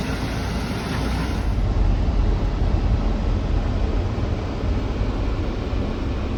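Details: 1972 Peterbilt on Duramax diesel chassis swap, body shop work done, lights and wiring pending; deep steady diesel rumble, even beat, no misses or knocks; earlier stalling traced to coolant temp sensor, unplugged; normal running, sounds healthy.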